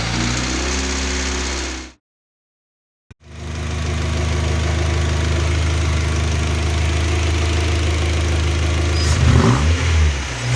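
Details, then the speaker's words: Newly rebuilt Audi A4 B5 1.8T turbo engine (GT2860RS) idling about 2 minutes after its first 20-minute run-in, then briefly revved. It blips up and settles with a deep, even exhaust note and no clatter, tapping or knocking; it sounds healthy. "Kuid pärast seda siis lõpuks saime tühikäigu hääli ka kuulata ja niisama lasime minuti 2 töötada ja kõrv puhkab. Siin mõni klipp ka, proovisime korra pöördesse ka."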